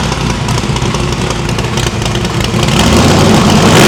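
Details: No-prep drag-racing stick-shift V8 after new PAC valve spring install: previously run on four plugs, now all eight plug wires on, headers still cold on one side. Loud, even beat swelling smoothly as revs climb, no miss. Valve springs seem okay; distributor index/rotor button fix expected to cure the misfire.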